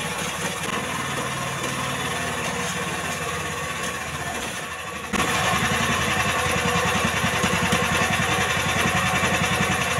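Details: Jarwo Crown rice transplanter small single-cylinder engine, previously hard to start, after carburettor fuel-screw adjustment; ticks over evenly, then picks up to a steady faster beat after five seconds, running clean and even.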